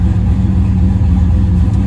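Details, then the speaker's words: Turbo LS V8 on Holley EFI, warmed up, idling at about 14.5 target AFR, IAC in good shape: deep steady lope with no misses, ticks or knocks, a normal healthy idle. "Okay. So we're reading at like 14.5 is where it's trying to target, and we're bouncing around right about there on the motor."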